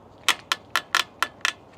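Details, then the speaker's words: Voro Motors RoadRunner Pro e-bike at 200 miles, all bolts retightened: sharp cracking clicks about every quarter second, squeaking and rattling from the handlebars, cause unknown, also on a second bike; handlebar creak and rattle. "no matter what those bars will squeak and Rattle and crack like that I don't know why the handleb"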